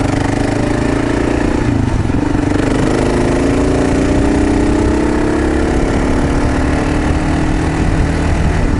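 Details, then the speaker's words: 2015 Gen2 KLR 650 with Lex pipe and airbox snorkel removed, riding after MCP carburetor correction kit: smoothly rising and falling drone under wind noise, decel popping mostly gone; only occasional pops remain. "Yeah, that MCP kit got rid of all that decel-popping. I can still hear it a little bit every now and then, but not like it was."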